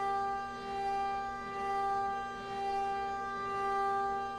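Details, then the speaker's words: CNC milling aluminum adaptive toolpath at 50 inches per minute, cutter fully engaged; steady high tone swelling and fading each pass without rattle; no chatter, stock held well. "in here relatively consistent sound this is very good no chattering or anything um and that just means that your stock is very well in place your machine is able to do it"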